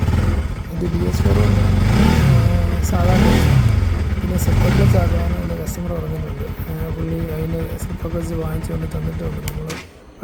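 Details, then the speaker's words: Bajaj Pulsar 200 NS after the starter relay smoked from a heated terminal and was replaced with a new one: engine catches on the first self-start press, revs cleanly and settles to a steady idle; starting system now works. "ഇത് മാറ്റി വെച്ച് അവിടന്ന് self അടിച്ച് അവിടന്ന് ഒറ്റയടിക്ക് വേണ്ടി start ആവുകയും ചെയ്തു."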